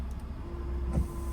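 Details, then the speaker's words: 2015 Ford F150 washer not spraying for two years, engine idling: thin steady pump motor whine, motor runs but no fluid comes out. "okay you can hear the motors going it does what it's supposed to do everything except for the fluid coming out which I don't know why"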